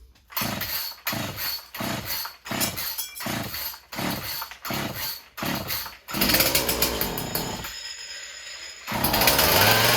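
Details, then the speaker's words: Husqvarna 36 chainsaw after freeing a stuck carburetor needle, throttle rod not refitted: several quick pulls, then it catches into a raspy steady two-stroke buzz with a higher burst near the end; running normally again. "there you go it's all it was with a stuck needle in the carburetor could have been other things but that's all it was on this"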